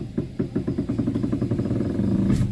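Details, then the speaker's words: Front wheel while steering turned: quick even tek-tek clicks about eight a second over low hum; worn, dry inner tie rod. "Ini untuk bunyi saat berbelok ya. Coba dengarkan baik-baik untuk bunyinya."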